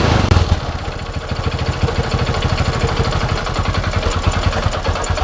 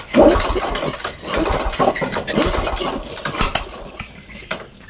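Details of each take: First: Honda Supra X 125 motorcycle with hard cold starting and stalling, after valve clearance adjustment: brief crank, quick catch, steady even single-cylinder idle with no ticking or misses; back to normal without replacing other parts. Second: Supra X 125 motorcycle, hard to start and stalls when cold despite new spark plugs: short, uneven cranking bursts that turn over too freely and never catch; low compression.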